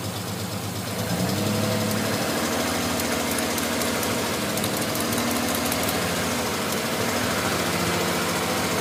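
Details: Non-turbo Nissan R33 at cold idle after sitting about 2 days and hard cranking: uneven lumpy idle with irregular stumbles and loose knocking beat, misfiring until about 10 minutes warm-up; coilpacks, injectors, gasket, fuel supply checked fine; cause unknown.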